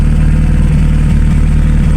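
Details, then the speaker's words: VW Polo Classic that had an unstable idle of 1500-2000 rpm: idles with a steady, even low rumble, no hunting or surging. The unstable idle is fixed. "Oh, it sounds nice. Sounds nice and stable."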